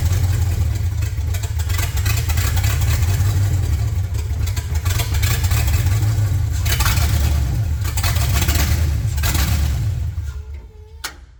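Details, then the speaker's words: Fatsun build's engine idling with an open header: loud, with an uneven loping beat of about three to four pulses a second; it keeps running with oil pressure reading okay. Finding: rough idle. "it's pretty quiet given it's an open header the idle doesn't sound great I mean it's idling fine now"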